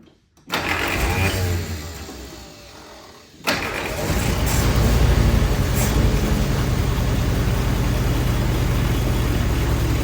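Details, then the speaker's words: 1946 Willys CJ2a four-cylinder after 40+ years sitting, with distributor tune-up parts and a rebuilt carburetor, being run to warm up: it cranks and catches, dies back, and restarts with the revs held up. The carburetor can't be made to idle; timing is questioned. "Next, I wanted to get the timing a little bit better, but we just couldn't get that carburetor to idle."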